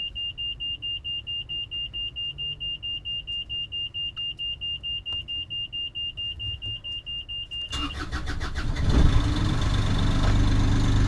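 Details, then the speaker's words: Universal Westerbeke 25 XPB diesel on a Columbia 34 MkII sailboat, after changing the Racor stage 1 and the stage 2 fuel filters: about eight seconds of rapid beeping during preheat and lift pump priming, then it cranks, catches and settles into an even run; healthy start. "Start it up. The diesel filters are changed, the engine works fine, it's all good."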